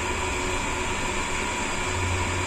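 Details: Sanyo/Shimizu jet pump after fixing no-water problem, under 20 PSI: steady even motor hum with constant hiss of flowing water, no knocks or surging; pump delivering properly.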